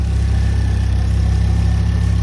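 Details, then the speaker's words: 2010 Ford Focus RS, 115,000 miles, first start in months, warmed up with good oil pressure: smooth, even low idle with a steady deep rumble and no knocks or misses; sounds great. "got up to temperature everything's looking good up there good oil pressure quick sound check still sounds magnificent right that sounds great"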